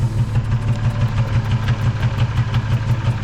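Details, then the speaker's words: 2006 Nissan 350Z V6 with misfire on cylinder two and check engine light: deep, lumpy idle with a steady stumble about three times a second; fixed by replacing the ignition coil. "that doesn't sound right so it was giving us a check engine light"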